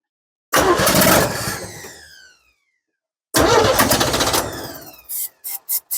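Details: 1964 Chevrolet C10 stepside, a sight-unseen project with fuel only just reaching the filter: two long cranking bursts sputter and die, then short catching pops as it finally fires. Hard starting with extended cranking.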